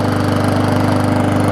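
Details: Neglected Bolens push mower with Briggs Classic engine after minor service with new oil and air filter, running to burn off smoke: fast even single-cylinder putter at steady speed, no misses or surging; healthy.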